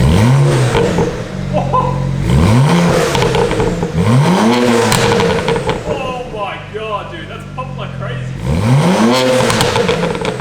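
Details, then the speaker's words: Warm BMW 335i with the N54 turbo engine, new downpipes and a soft tune, started and blipped repeatedly; a deep, throaty exhaust with revs climbing and falling cleanly and no knocks or rattles. Healthy revving. "We're going to start it up and we're going to see what these down pipes sound like properly tuned."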